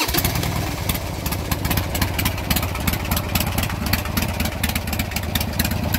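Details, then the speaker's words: Harley Sportster with Hammer Performance 1275 kit, freshly installed Andrews N2 cams, collapsible pushrod tubes, S&S Super E carburetor, Dynatek 2000i ignition, warmed up and carb tuned; steady lumpy idle, firm regular beats, no misses or knocks; normal idle. "go ahead and turn it on for you so you can see what it sounds like i just just got warmed up and tuned the carburetor so it's nice and running"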